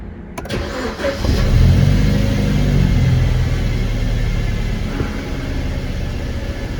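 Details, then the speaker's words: BMW E90 petrol engine after cleaning the solenoids, following loss of power, rough idle and higher fuel consumption: quick crank, clean catch and brief flare, then steady even idle with no engine fault shown. "Pues perfecto, no marca ahora mismo ningún fallo del motor ni nada."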